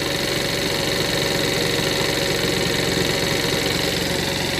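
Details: $100 50cc Chinese scooter, just after the high warm-up idle was turned down: quick, even buzz at a steady low idle with no hunting or stumbling. It idles cleanly and sounds healthy.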